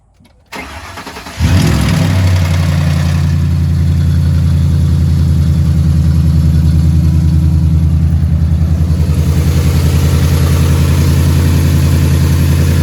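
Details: 2011 Ford F-150 petrol engine starting and idling: deep steady knock about three or four a second; suspected rod knock, not confirmed.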